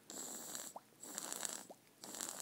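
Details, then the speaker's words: Vape tank (Texas Tuff or MT3 on iTaste VV V3) flooded with juice instead of primed: soft wet gurgling bursts about a second apart with faint hiss, normal sign the wick is soaked and ready. "Hear that gurgling? That's what you want, and then that way you don't have to prime it."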